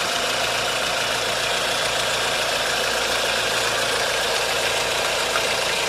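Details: 1.4 16V engine (Tunisia) at idle with a bright, rapid tapping about three to four per second over a hissy background; timing chain and tensioner checked and belt removed without change, so the knock remains untraced.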